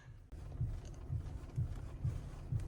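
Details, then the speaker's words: Chery Tiggo 8 Pro Max steering knock returning after service removed and reworked the steering shaft and tightened the rack; dull, low thuds about two per second, heard while stopped; owner suspects the steering rack needs replacing, cause not confirmed. "Не знаю, запишет ли это аудиосистема , но звук глухой."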